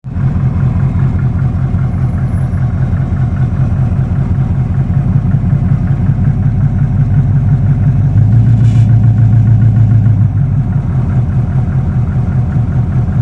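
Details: 1979 Camaro 305 Chevy small-block V8 at idle, regular deep knock about two to three a second; owner suspects rod knock, not confirmed.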